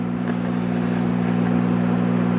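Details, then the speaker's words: 1958 Emerson model 895 AM/FM tube table radio, estate-sale set; loud steady low mains hum with no program audio; suspected filter capacitor hum or a shorted tube, not yet confirmed. "and as you can hear we have our trademark filter capacitor home or either that or a shorted TV we'll figure it out as we go along"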